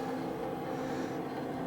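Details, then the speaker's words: Hcalory Toolbox Compact 2 diesel heater in a garage, starting up at its highest setting: a steady whirring fan drone and faint even hum with no knocks or rattles; normal startup. "it's starting to Make Some Noise Okay so the diesel heater is in full startup mode"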